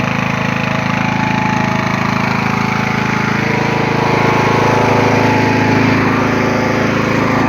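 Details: Poulan XT (Husqvarna) 42-inch lawn tractor, Briggs & Stratton 16.5 hp 500cc engine, mint condition, just started on choke: single-cylinder runs smooth and even at a steady beat, no knocks or misses; normal healthy running.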